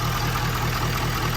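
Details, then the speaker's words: Ford 6.7 Powerstroke diesel at its first start after converting from a CP4 to a DCR pump with new injectors: even, low idle clatter with no misses or knocks. A faint airy hiss, like air pushed through the filter, while fuel is low. "crank right up sounds good and smooth sound"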